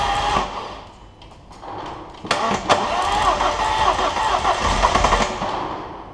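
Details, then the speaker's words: Abarth Punto Evo bought as a non-runner, oil present, cam belt on and tight, cranking seemed to lack compression: steady starter churn for a few seconds, then ragged catches and a brief rise as it nearly starts; cause not confirmed. "What the hell? It just tried to start."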